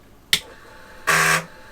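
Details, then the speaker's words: Commodore SFD 1001 (DOS 2.7) drive formatting a disk: one sharp tick, the drive motor runs, then a harsh buzz as the heads bang against track zero. It probably has no track zero sensor. Format speed error 75. "we heard the drive motor go we heard it grant the heads against track zero i don't think this has a track zero sensor so it bangs the heads"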